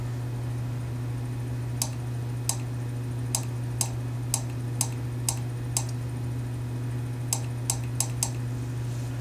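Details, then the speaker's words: Honeywell gas water heater control valve blinking code 4 (high-temperature shutdown), during the DIY reset: about a dozen irregular sharp clicks over a steady low hum are the gas valve solenoids opening, not the tapping. "That noise is actually the valves inside here opening up. It ain't this tapping on it."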